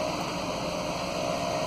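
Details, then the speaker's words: 1998 Chevy Silverado 3500 with 7.4 (454), a crank-no-start service call: it ran stumbly at first, now a steady smooth idle with a faint whine the mechanic suspects is an idler or the alternator; normal idle. "it it ran a little stumbly at first but now she smoothed right out I like it"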